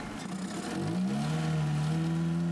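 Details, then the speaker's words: Car driven overland in extreme cold, constantly below -40°C, won't go above 60 km/h; engine holds back and stumbles under load, revs rising unevenly, misfiring. Cause unconfirmed: fuel or the extreme cold suspected. "It just won't go above 60k. It's really holding back misfiring, as you can hear. Whether it is fuel, whether it is something to do with extreme cold, I've not yet actually decided to work out."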